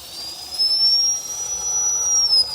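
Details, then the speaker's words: Axial Ryft-based RC crawler fitted with a 2200kv 14-pole 540-size Revolver outrunner brushless motor. A thin, steady high-pitched squeal rises slightly and holds as the motor spins while crawling: the new motor squeals. "oh that 22's got a little bit of a squeal to it i bet that sounds horrible on camera"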